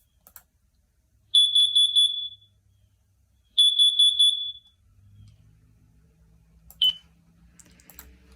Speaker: the correct answer is four carbon monoxide alarm carbon monoxide is an odorless and tasteless gas